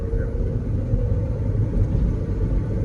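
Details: 1997 Honda Civic LX, 5-speed manual, 362,000 miles, after clutch fix, driving: steady deep rumble from gearbox, stops with clutch pressed, louder over years; owner suspects internal transmission bearing, not throwout bearing.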